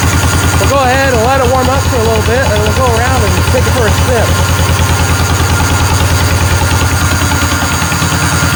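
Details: 1949 John Deere Model M two-cylinder tractor, hand-crank started at 27°F with thick cold oil, warming up: slow, even putt-putt about three beats a second, steady and unhurried. Normal warm-up idle.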